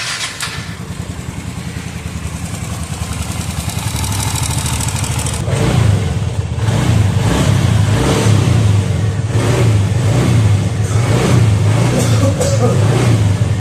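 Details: TVS Ntorq scooter with a starting problem, after valve timing marks checked and tappets adjusted: single-cylinder catches and settles into an even putter, then revs cleanly and steadily with no misses; runs healthy.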